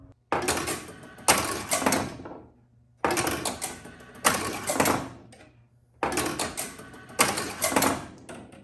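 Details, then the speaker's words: 1976 Bally Flip Flop pinball: the outhole kicker fires with a sharp clack and relay/motor rattle every three seconds without a miss, after the outhole relay switches and the score switch firing the outhole coil were cleaned and adjusted. "Well, that certainly seems a lot more reliable. So, what I did is I cleaned up all the out hole relay switches and that one scoral switch that's responsible for firing the outhole coil."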